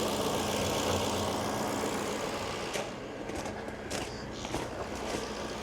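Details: Jaguar XK8 that previously would not start, first start after fuel pump relay swap (one-way return valve suspected): engine idles with an uneven, wavering beat around four pulses a second, level dipping and surging, heavy exhaust smoke; rough idle just after starting.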